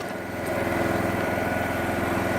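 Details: Small single-cylinder petrol generator, unused about 5 years, running on propane fed from the bottle, with speed set by the bottle valve: steady even buzz, no hunting or misfires.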